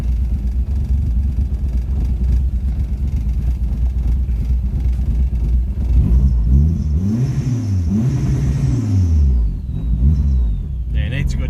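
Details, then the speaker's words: Restored Ford Escort Mk2 with cam and high-stall automatic, hood up after restoration: deep, loping idle with uneven low thumps and throttle blips; running very rich with a lumpy idle. "yep right it very rich it's got a bit of a lumpy auto"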